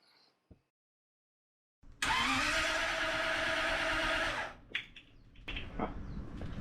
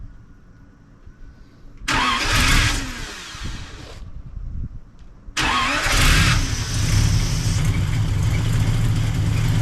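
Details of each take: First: 1939 Buick 248 straight-eight with new coil, points checked, spark present, timing estimated about 5° BTDC: starter spins it steadily about two and a half seconds without firing; it runs on gasoline poured in, so the fuel pump isn't delivering fuel. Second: 1939 Buick coupe 248 straight-eight after new coil and points checked: two cranking attempts with a weak battery and slow starter, then the engine catches and settles into a steady, even run.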